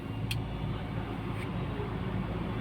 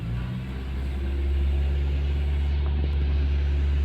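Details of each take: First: Toyota with a rough-idle vacuum leak fixed by reconnecting a loose pipe; steady even idle with AC on, rpm rising slightly as it should (before the fix it dropped with AC); two brief light clicks, no stumbling. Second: Toyota car on LPG and octane, idling in park/drive/reverse with AC: deep, low rumble with slightly uneven beat; rough idle traced to a disconnected vacuum pipe (power motor line) causing a vacuum leak.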